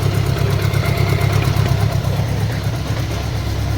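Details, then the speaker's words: Goldwing-engined budget bobber build running with a lumpy, uneven beat and a puffy chuff each beat; owner suspects an exhaust leak at the header crush gaskets, with driveline clunking also heard. "yeah you hear the unevenness in the engine here that drive line clunking around i'm sure we've got an exhaust leak"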